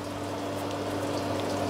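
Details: Ariston LS 603 dishwasher after adjusting a washing machine level/pressure switch fitted to it, running a hot wash cycle test: steady low pump hum with water swishing and splashing, even and without knocks or grinding; the wash pump is running normally.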